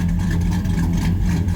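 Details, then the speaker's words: V8 truck with an aggressive camshaft, after idle retuning with HP Tuners: deep, steady idle around 700 rpm with an even, unbroken lope and no misses or knocks. Fuel trims are near perfect; clean idle. "Alright, we got our fuel trims about perfect. For average idle at about maybe 700 RPMs. Good, clean idle."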